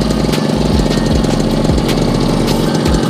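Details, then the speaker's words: Yamaha RX King two-stroke that came in weak, powerless and very rough from past botched work, after a total engine rebuild, first start: loud, fast, even idle with busy crackle, no misfires or dropouts; rebuilt engine sounds healthy. "ini sudah dipasang pasangi tinggal kita bunyikan ya ya ini kita bunyikan suaranya seperti ini"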